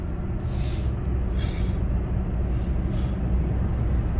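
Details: Opel Insignia 1.6 136 hp, driving slowly after replacing the timing chain and oil pump to cure a tak-tak knock: low, even engine rumble under steady road noise, no knocking or rattle; the engine sounds healthy.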